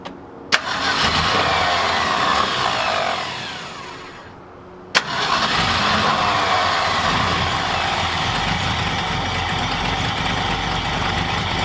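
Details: 1966 Ford F250 after fuel tank reinstall, carburetor bowl hand-filled to test the accelerator pump and choke reconnected but left wide open: cranks, catches, fades, cranks again, then a rough uneven idle. A fuel delivery problem is suspected, not confirmed.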